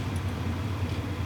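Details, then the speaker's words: WIPPRO diesel heater just after first ignition, blowing hot air: soft, steady low hum with no ticking or surging standing out, fuel-pump ticking barely audible. Normal running. "But this is actually really quiet. They said whisper quiet, I believe. It is super quiet, and there is hot air coming through here."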